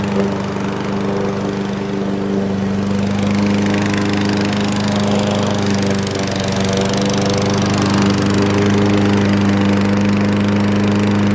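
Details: Fairly new Craftsman 7.0 mower, formerly a no-start with air filter missing, running after repair with air cleaner refitted: steady constant-pitch drone, no misses or surging, burning off a little oil; running smoothly.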